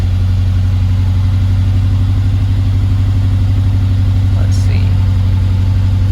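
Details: 2011 BMW X5 50i (N63 V8) at about 92,000 miles, ignition coils overdue: deep, uneven lumpy idle over a low rumble with check engine light and bouncing gauge; owner suspects a failed spark plug or ignition coil misfire.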